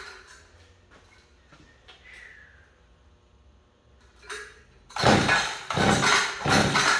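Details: Small two-stroke engine on a no-start repair, running with cleaned spark plug and air filter off: quiet at first, then it catches and runs with loud, slightly uneven surges; now starts and keeps running.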